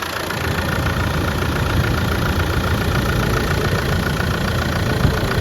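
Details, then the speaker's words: 1995 Land Rover Defender 110 300Tdi diesel, 119,000 miles, just started after the glow plug cycle: steady, even diesel clatter at idle with no squeaks from the belt or pulleys; the engine runs very smoothly. "Glow plug light comes on and off. Fires right up. Engine running very smooth. No squeaks out of the belt or pulleys."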